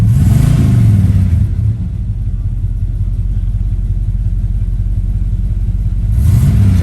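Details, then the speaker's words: 1979 Chevrolet Camaro Z/28 with a numbers-matching 350ci V8, dialed-in carburetor, TH350 automatic, stock manifolds and dual exhaust. Catches right away and revs cleanly with a deep, even rumble and no misses; minor belt noises noted: healthy revving. "Let's fire this Z up. Right up. That carb is dialed in."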